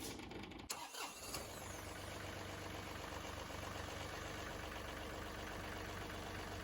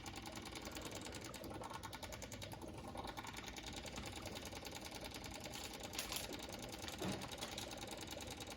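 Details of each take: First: John Deere 2038R compact tractor diesel after fuel filter service and priming the fuel pump by key cycling: a brief crank and catch, then a steady, even idle with no misses. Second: John Deere 2038r with key on and new fuel filters: fast steady ticking buzz of the electric fuel pump as air bubbles through the filters, priming until the noise settles.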